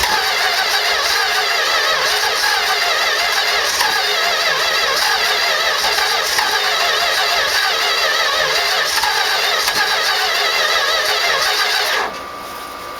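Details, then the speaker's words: 1969 Plymouth Road Runner big block, first start with a modified 340 distributor and new plugs and wires. Even cranking at about 3.5 beats per second for 12 seconds without firing. Owner suspects timing too retarded and idle set too low. "pumps here trying to start sounds like i might have the timing too slow"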